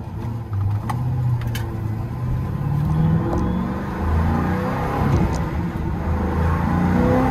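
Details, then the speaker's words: Pontiac GTO pulling hard in a low gear: rough uneven rattle under the engine roar from the driveshaft rising and hitting the transmission tunnel, also scored by the rear seat belt bolt; axle already replaced. "so after what we saw underneath the car that noises 155% of the drive shaft com up and hitting that thing on the trans tunnel"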